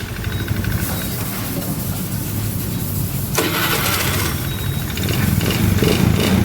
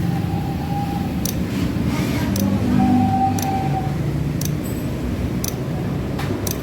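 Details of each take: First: Honda Beat FI scooter that had clicking starter, no oil and a seized-heavy engine, after adding oil and freeing engine by turning it; brief whirring crank then catches and settles to steady low run; clean electric start, engine still noisy and smoky. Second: Honda Beat FI scooter, battery about 11 V, kick starter removed: sharp single clicks about once a second from starter, no cranking; engine will not crank.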